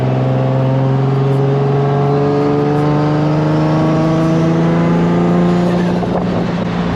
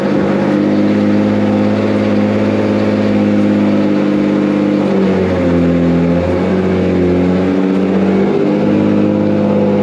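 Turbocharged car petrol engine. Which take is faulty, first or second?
first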